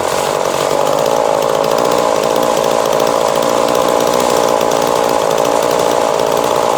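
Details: 2002 Husqvarna 136 chainsaw after carburetor replacement and tuning, about 10 minutes at wide open throttle, warm, freshly painted muffler smoking; steady even high scream at wide open throttle with no surging or four-stroking; normal wide open throttle.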